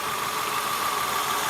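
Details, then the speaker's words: 2002 Acura TL idling with one ignition coil unplugged as a misfire test: a thin, uneven rattle with a steady whine on top. The engine runs rougher, showing that cylinder was contributing, unlike the bad coil's cylinder. "So, I pulled this one out and you can hear the engine rattle. It's a little rougher right"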